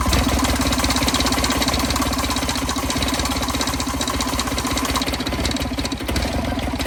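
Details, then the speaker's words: 1986 John Deere 330 diesel garden tractor, cold, no glow plugs, one injector left unbled, throttle turned down: fast clatter with an uneven, lumpy beat at low throttle, one cylinder not pulling; consistent with the unbled injector. "Come on, baby. And there's no glow plugs either. So It wants heat."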